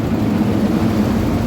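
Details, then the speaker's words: Yamaha Jupiter MX, hot engine, running on after the key is turned off because a cable was wrongly connected into the temperature-sensor circuit. Soft, steady, even putter continuing at idle with the ignition off. "Off. The ignition is already off. But the engine is still running."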